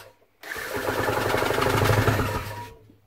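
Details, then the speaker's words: Newly refurbished Vire 7 A1 marine engine on a test rig, cranked with the spark plug removed to expel oil. Rapid, even chuffing with no catch or binding, so no compression lock. Normal cranking. "Right. So we're not going to have a compression lock up on this."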